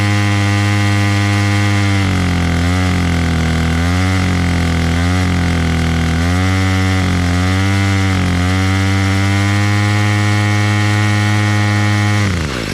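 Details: Bolens MTD BL-160 25cc two-stroke trimmer after carburetor clean and low mixture screw reset, choke off: buzzes steadily, revs cleanly up and down several times without bogging, then drops to a smooth idle; running properly.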